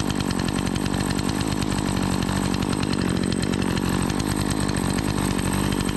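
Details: Remington 46cc two-stroke chainsaw, sat unused a season after running poorly, now repaired: steady high, even howl with no misses or surging and revs holding smooth during an oiler check; running healthy.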